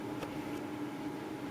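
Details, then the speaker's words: Plasma cutter powered on during fault checks: steady, even mid-pitched cooling fan hum with no rubbing or ticking, power light on. Fan running normally. "as you can see, guys, you can hear this thing running, so that's all good. So we've got the fan going, we've got the light on."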